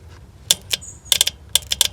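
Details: Ford Sierra Mk1 Estate 4x4 Ghia 2.8i cold start valve powered off the car by a jump pack and temporary lead at about two degrees: sharp dry clicks in small bursts as the solenoid opens, so it works; owner suspects too little fuel or spray when cold.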